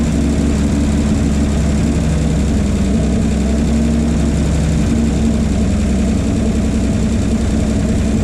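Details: 1951 Chevy 1430 pickup straight six, freed from a seized state after sitting since last road use in 1976, idle turned up on a jerry-can fuel feed: raised, steady idle with an even low rumble, no knocks or stumbles; runs pretty good; replacement fuel pump suspected bad.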